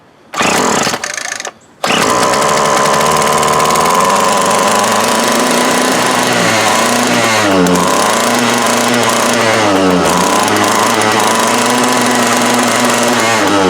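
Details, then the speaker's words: 2004 Craftsman 32cc curved-shaft trimmer, 20 years old, with new fuel lines and fuel filter, old carburetor with a stuck needle, low on fuel: uneven two-stroke buzz with revs hunting and never settling; runs but rough. "Well, no, it ain't out of gas, but so we know it runs. It's not happy, but it runs."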